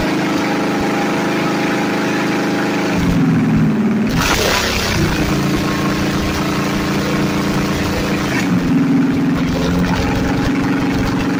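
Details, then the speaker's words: Freshly rebuilt budget Chevy 350 small block, first fire-up on the floor, recorded on a phone: raspy, loud idle, blips up twice and drops back cleanly; the harsh tone is from the headers only. Normal running with loud open headers. "these headers sound like absolute shit, and the audio on the phone that we were recording with made it sound even worse."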